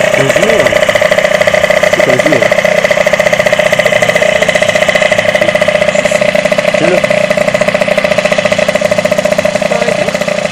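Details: Derbi DRD 03 two-stroke, bought in a lamentable state, first start after complete engine restoration: steady, even buzzing idle with clean constant pitch, no knocks or misses; normal idle.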